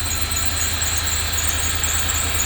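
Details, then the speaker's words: 2006 Range Rover Sport Supercharged V8 at idle: steady rumble under a continuous high-pitched squeal that never lets up; drive belt squeal, owner plans a new belt. "I got a belt leak. Hear that belt? That's a belt sweep."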